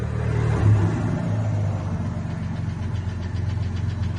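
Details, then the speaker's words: Ford 300 (4.9) fuel-injected inline-six, rebuilt, good oil pressure, started cold then idling: deep rumble with a faint, fairly quick tick, not an exhaust leak; owner says it comes from the top end, cause unknown. "That ticket is coming from the top end."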